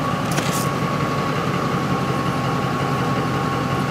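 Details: 2004 Ford F-150 5.4L with hot stall/no-restart complaint, fuel pump grounded manually so it runs at full speed: steady even idle with faint constant fuel pump whine; normal idle.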